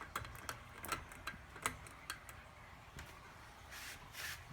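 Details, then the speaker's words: Hampton Bay St. Vincent II 52" ceiling fan running on low, still runs fine but noisy: slightly irregular sharp ticks, two or three a second, from worn bearings; WD40 used, fan needs completely new bearings. "you can hear the bearings right in the videos well I can hear it yeah I used up the rest of my WD40 can there's really not much in it left and this fan needs completely new bearings in it"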